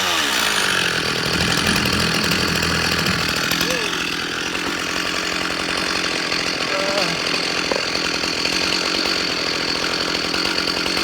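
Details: Stihl MS361 chainsaw with new aftermarket cylinder and piston, 28-inch bar and full-comp RS chain, first run on a tailgate: fires and settles into a steady, even two-stroke buzz with no misfires or surging; running cleanly.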